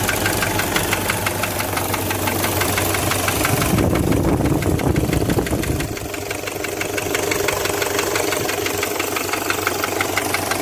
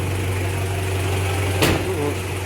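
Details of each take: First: Toyota 1KZ-TE diesel idling: steady hollow knock, about three a second, from a piston rocking in a scored cylinder liner, found on teardown. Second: Toyota 1KZ-TE diesel after repair of a piston knock from a worn, scored cylinder liner, engine slightly warmed up: smooth, steady low idle drone with no knocking.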